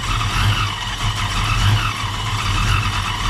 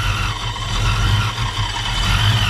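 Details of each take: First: 1987 Ford Mustang LX 5.0 V8 automatic, Vortech A-Trim supercharged, speed density: deep loping note surging and dipping about every second while revved, owner says it sounds cammed; lumpy uneven running. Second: 1987 Ford Mustang LX 5.0 V8 automatic, Vortech A-Trim supercharged: deep choppy lopey rumble rising briefly on throttle, pulling cleanly and sounding healthy; normal rev.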